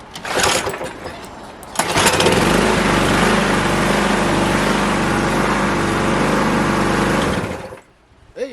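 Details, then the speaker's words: 1992 Stiga Collector SE mower, Briggs & Stratton 12 series single-cylinder engine, two drops of fuel added: cranks, catches, runs steady and even before shutting off; healthy runner despite weak battery. "it's a nice Runner so yeah"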